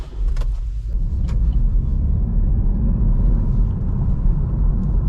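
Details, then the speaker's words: 2019 Vauxhall/Opel Astra after reluctor ring replacement and code clearing, tachometer now working: steady, smooth low rumble holding evenly with no knocks, surges or misfires; everything in order, engine running normally. "ყველაფერი წესრიგშია, როგორც აღმოჩნდა."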